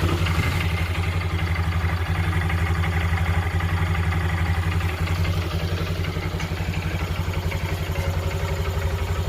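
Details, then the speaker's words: Honda Dream Yuga after an engine rebuild, with the silencer cleaned of carbon using diesel: steady, even single-cylinder idle with a smooth regular exhaust beat and no knocks or rattles. "ఎందుకంటే sound అనేది మీరు చూశారు కదా ఈ sound అయితే చాలా smooth అయిపోయిందన్నమాట"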